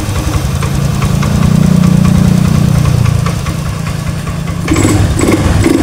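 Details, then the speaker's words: Honda Scoopy FI that died when throttle released, after throttle body refit and idle adjustment (air filter element found missing): small single-cylinder putters at steady even idle without stumbling or dying; idle now holds. "Nah di sini sudah bisa langsam kita naikkan sedikit"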